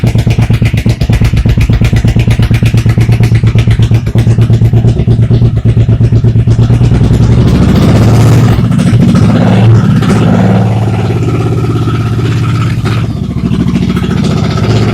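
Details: 1985 Honda VT1100 Shadow V-twin, cold, after replacing faulty CDI boxes with 1984 V45/VF700 units (now waste spark) and the front pulser, with the tach wire moved off the rear coil: loud, lumpy but even idle, no misfire.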